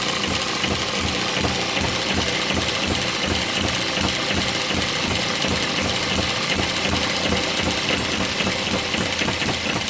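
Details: One of several model steam, Stirling or hit-and-miss engines driving a homemade Baker fan as a working load. Steady rhythmic chuffing about 80 beats a minute, even pace pulling against the fan; normal running under load.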